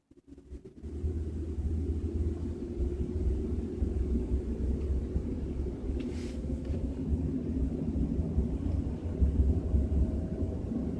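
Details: BMW 320i with a deep, uneven droning low rumble while driving at 30–40 km/h, little else on top; source of the rumble unclear.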